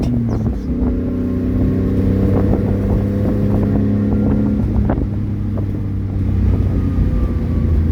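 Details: 1994 Honda Acty 4x4 truck, 660cc three-cylinder gasoline, 5-speed manual, 114k km, revving with a loud, raspy, blatty exhaust note from an exhaust leak just ahead of the muffler.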